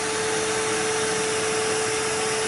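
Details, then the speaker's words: 2005 Toyota Corolla S, soapy-water test shows bubbles in a couple places: constant hiss with faint steady hum; exhaust manifold leaking, to be replaced. "so it looks like this exhaust manifold is leaking in a couple places as you can see yeah you can also hear it hissing as well"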